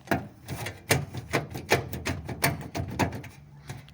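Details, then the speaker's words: VW Fusca (Beetle) running board rocked by hand: irregular hollow knocks, a few per second, as the board moves on its mounts; probably a loose or broken mounting bolt. "Provavelmente deve ter ou parafuso solto ou o parafuso quebrado."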